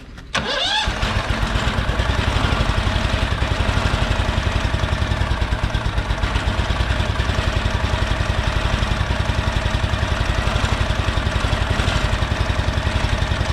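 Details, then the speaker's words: Briggs & Stratton overhead-cam twin engine, started; brief crank then uneven lumpy low thump near four beats a second, cause unconfirmed: rough running. "All right, let me back you guys up a little bit, and we're gonna start it up, see how it sounds anyway. That don't sound"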